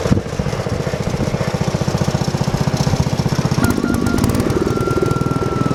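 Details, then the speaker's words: Bush Hog D4-10 Wisconsin single-cylinder engine after rebuild work with new rings, camshaft, governor gear and springs, in neutral, governor previously never worked and it smoked badly: steady, quick, even firing pulses at held speed, no hunting; governor now works. "okay so let's crank it up make sure it's in neutral two neutrals [Music] started right up this time no squealing of the bow"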